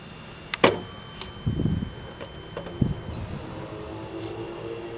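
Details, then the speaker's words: Vintage tube TV, horizontal section, fed by a B&K 1077 television analyst: high thin whine with several steady tones, shifting in pitch when a 6GH8 tube is pulled, amid handling clunks; frequency unstable, horizontal oscillator suspected. "when I yank this out I do hear a difference here listen"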